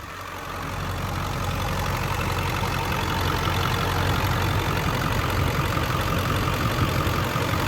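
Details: 2000 Ford Excursion 7.3L Powerstroke diesel, 2WD, 192k miles, stock untuned, freshly serviced, warm: idle settles into smooth, even diesel patter at constant speed with no stumbles or odd knocks; healthy.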